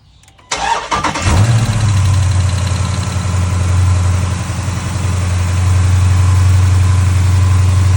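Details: Dodge Challenger Hemi after replacing worn noisy accessory pulleys and reinstalling the serpentine belt: engine cranks briefly, catches and settles into a steady, even idle with a low smooth drone and no pulley rattle.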